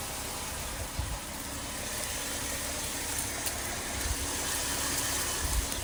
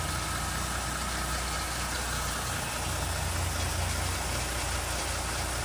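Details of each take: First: 2019 Dodge Durango, cold start just after backing out: steady even idle with only a faint light tick, no rattle; normal. Owner's rattle complaint appears only after 10–15+ minutes of driving, at idle in park or slowing. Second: 2019 Dodge Durango idling in park, warm after about 20 minutes of driving: a faint, uneven metallic rattle rides over a steady idle. The rattle appears after 10–15+ minutes of running, at idle and sometimes when slowing; the cause is unknown.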